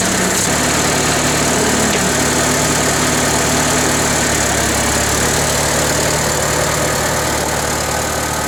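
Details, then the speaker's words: International Harvester 354 tractor petrol engine at idle: uneven stumbling, spitting and sputtering after running well briefly, thought to be carburetor but caused by ignition, fixed with new points and condenser. "So there you can hear it spitting and sputtering. It kind of will run good for a minute and then it'll start doing this."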